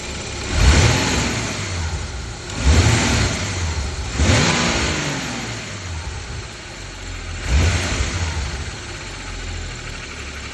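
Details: BMW N55 petrol engine at operating temperature (oil 110-115°C), revved five times in neutral: a light rapid clicking like a card in bike spokes as revs fall back; cause unknown.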